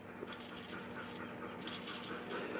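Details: Jeep TJ Rubicon 241J transfer case bearing, new Japanese part failed within about 100 miles: hand-spun, it gives a gritty, notchy rasp. Its race had spun in the case, leaving a big flat spot where it locks up.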